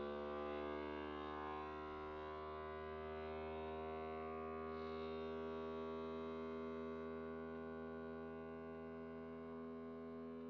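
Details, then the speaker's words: FoodSaver vacuum sealer on accessory mode evacuating a quart canning jar of sugar with a jar lid; steady electric pump drone with a gently settling pitch as it draws down: normal vacuum pump operation. "Hit accessory. And there we go. And you can hear it's already going"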